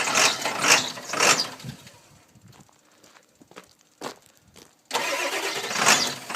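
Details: 1999 Ford 7.3 Powerstroke diesel: bursts of fast cranking with pauses, engine not catching; hard start from a bad glow plug relay, later started after jumping the relay and lopes at idle.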